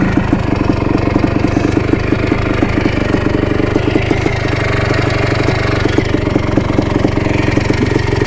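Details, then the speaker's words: 1987 Yamaha YZ490 two-stroke after carb cleaning and new fuel, riding: crisp, rapid crackle firing evenly with no bogging or stumbling, burning much better; normal two-stroke running. "pretty good burning a lot better now that we've got the new fuel"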